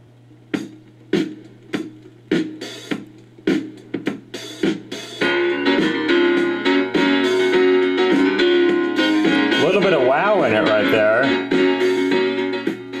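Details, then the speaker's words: Wow (wavering pitch) while playing a 45 rpm record on a TEAC GF-180 turntable after fitting a new 793-D7M needle and adjusting speed; speed is close, the notes sag and waver, possibly an off-center pressing. "not sure it's because the record is not centered when they pressed it or what, but definitely got some wow going on there."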